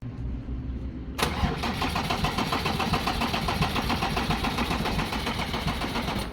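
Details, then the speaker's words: Ford Ranger diesel: starter cranks steadily about five seconds but never fires; suspected failing diesel injectors; crank no start. "As you can see, we've got a no start fault on this vehicle."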